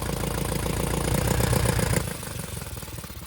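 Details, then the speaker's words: Abandoned Hyundai small car: runs only with injector ports open letting air through. With injectors seated it idles lumpy at about four pulses a second, then sags and dies, as if choked. Cause not confirmed. "so that's getting enough air through those injector PS to to allow it to run there but as soon as you put that in there it's like you're choking it"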